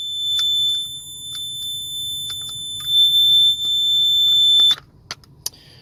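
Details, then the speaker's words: Combination CO/smoke detector after battery change sounds a shrill high-pitched alarm nonstop for about five seconds then cuts out; later found one battery installed backwards. "Alright, so we'll have to figure out why it's making that noise in the first place."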